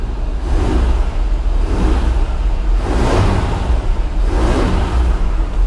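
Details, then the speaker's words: 1985 GMC C1500 Sierra V8, not started in a long time, cold start after pumping the gas: deep, fast, steady rumble with a slow surge every second or so; high idle, drops when the gas is tapped once warm. "That high idle is just too high. You can kick it down though by kicking the gas pedal. I haven't figured out how to adjust that yet, but it does idle kind of high when you first start."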